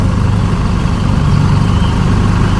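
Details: 2012–13 Chevrolet Colorado diesel showing white smoke at times, stumbling, shaking, knocking and weak acceleration, with codes for the cylinder 2 injector, all four injectors and the ETR motor. A heavy, uneven idle with a coarse low rumble and faint knock, pointing to faulty injectors.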